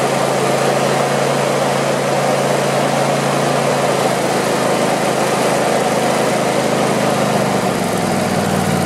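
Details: Craftsman YT4000 lawn tractor V-twin, sat in a barn for years: loud, steady idle with an even beat, no knocks or misses; deck engages with some vibration, blades probably to be sharpened and balanced. Normal idle.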